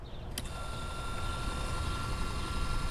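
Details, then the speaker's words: Airco CNC optical tracer gas/plasma cutter, Westinghouse Linatrol HL-90 controller, traverse drive slowed to creep then sped up and reversed: low steady drive hum with thin constant whine after a click; axis runs smoothly. "and then uh you can make it creep I don't know if you can see that but it's moving real slowly speed it up bring it back see you can slow it up speed it up"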